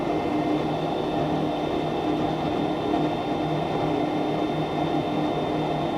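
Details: Goodman furnace GMEC960603BNAC starting after burners replaced: steady, even inducer fan hum with a constant mid whine and no rattle or scraping, spinning up cleanly before the click and ignition; normal startup.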